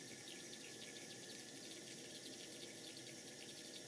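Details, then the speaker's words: 5-inch gauge GWR 14xx model steam locomotive, first steam test on a gas burner, safety valve set to 90 psi: continuous high chirping like a small bird as the injector picks up and feeds the boiler properly. "hear that beautiful sound of the injector makes when it's working it's a bit like the sound of a little bird"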